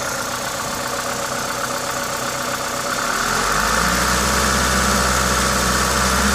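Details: Toyota 2ZZ-GE engine at a normal idle, steady and even, firming up slightly partway through; the loud hiss comes from an induction kit; smooth and healthy.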